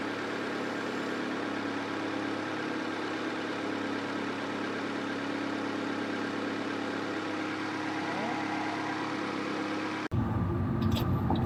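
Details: Honda CR-V (RD1) after replacing a burst small upper HVAC heater hose and refilling with water: steady, even idle, smooth low hum, no knocks or stumbles, then a sudden change near the end; owner checking for head-gasket bubbling.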